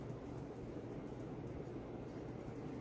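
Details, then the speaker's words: 52-inch Supreme Fan Mark III ceiling fan at full power: strong steady air rush over low even motor hum, no ticking or wobble, performs like a stack motor fan — normal ceiling fan operation. "is a real powerhouse. It performs just as good as my Fazco parlor fan. And that's a stack motor."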